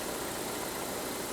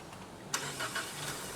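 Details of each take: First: Ford Edge with a new water pump fitted and a scope pressure transducer installed, just started: a smooth, even idle hum with no knocks, ticks or rattles; it is running good. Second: 2018 Ford Edge 2.0L, running bad; the client claimed it needed a bank 1 oxygen sensor. At start-up it cranks briefly, catches, then runs uneven and lumpy without smoothing out while scoped; retarded valve timing.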